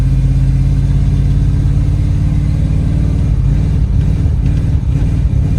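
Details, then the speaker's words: Low, rough, uneven engine drone that breaks up and won't build at about quarter throttle while driving a TBI dually pace truck; timing suspected. "Yeah, if you hear how it breaks up, I'm at about, I don't know, quarter throttle. It just does not want to go."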